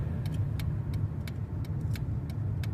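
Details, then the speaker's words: 2013 Dodge Avenger, low-mileage ex-fleet car, on a road test after an oil pan replacement, shifted up to sixth with a hot engine: smooth low road rumble, no vibration, suspension, wheel bearing or brake noise. Normal road driving. "Goes down the road nice and straight. No vibration, no noises. Brakes feel good."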